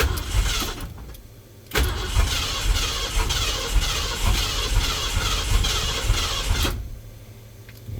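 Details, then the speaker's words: 1977 Ford with turbo 351M and newly installed MSD box and 2-step: starter churns about five seconds with no firing; won't start, owner wonders if MAP sensor is pulling timing, after a carb backfire earlier. "hmm what what is the problem here I don't think I messed with anything that much to be honest with you unless the map sensor is taking a ton of timing out which it shouldn't be"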